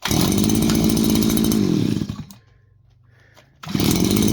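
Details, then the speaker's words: New small engine bought on Temu, not yet broken in; crisp, even buzzing at steady speed, then it cuts and restarts cleanly, turning over easily; judged to run good. "I'm going to call this not broken in, but I'm going to call that guy runs good."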